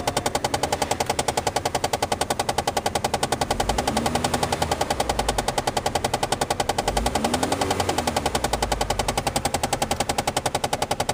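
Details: 2007 Chevrolet Malibu LS: steady sharp clicking from the dash, about three to four a second, that won't stop; a stuck HVAC mode or recirculation door actuator whose gears slip against each other; fix is freeing the door and replacing the actuator.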